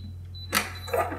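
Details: Liberty HD-100 gun safe after fixing latch that wouldn't engage (fresh 9 V battery, latch pin cleaned and lubricated): sharp mechanical snap then lighter rattle as lid pops open, latch releasing normally.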